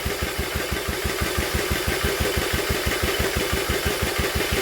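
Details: Old Villiers engine, cranked by drill on flywheel: even turning-over beats about three a second with no firing or catch; no fuel drawn because carburettor jet blocked.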